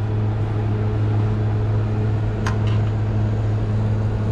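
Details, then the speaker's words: Refrigeration unit with compressor running; steady low compressor hum while the condenser fan motor barely turns, moving super slow even when struck, no proper air rush; failing condenser fan motor. "I don't know if you guys were able to tell but it was moving super slow I was trying to hit it"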